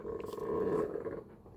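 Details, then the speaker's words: 1985 Mercedes 300TD wagon, door swinging: low drawn-out creaking groan from the door check strap, likely a broken ball bearing inside, to be replaced; squeaky door check strap. "Hear that squeaky door? That is the door check strap, which goes right here."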